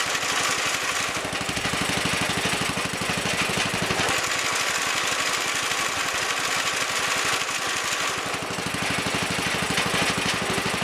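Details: Wheel Horse Commando 800 tractor with 8 hp pull-start single and sickle bar mower, after belt replacement: an even, rapid single-cylinder thump with the mower's chatter, steady with no misses or grinding; runs normally, set in transport position.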